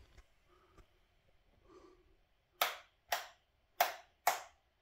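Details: New Click polished chrome switch replacing a six-month-old Lap switch that was arcing badly; four crisp, even snaps a fraction of a second apart with no fizz or crackle afterward; normal healthy switch click.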